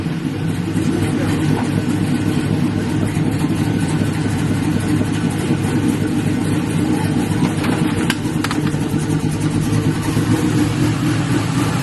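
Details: LS-swapped Buick Regal V8 after a thermostat change, cranked with the radiator cap off and no coolant yet to check for leaks: steady, even, deep idle rumble with no knocks or misses; running normally.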